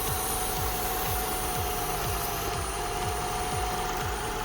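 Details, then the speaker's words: Toyota Camry XV10 at idle with the intake refitted and the intake-to-cam-cover hose left open: a loud constant hiss over a slow pulsing idle, air drawn in through the hose; a vacuum leak, later found split and rock hard. "hose is letting in air, so I need to block that off back to, or plumb that up back to where it was plumbed up."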